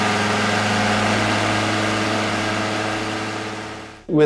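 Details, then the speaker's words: Vespa PX two-stroke engine being tuned, checking carburetor needle and emulsion tube at one-third to two-thirds throttle: a buzzy drone that holds flat then sags and won't rev, barely passing 7,000 rpm. The mixture is very rich. "could hear that the engine didn't want to rev at all. We hardly crossed the 7 000 revolutions engine speed. So this is very rich."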